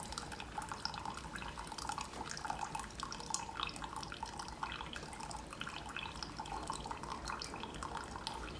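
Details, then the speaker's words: Keurig Supreme, 10 oz brew; steady trickle and gurgle with faint pump hum and odd air sputter as air clears the lines; brewing normally. "I've got water going through pump is on everything appears to be working just fine there's a little bit of air in the lines that's getting worked out"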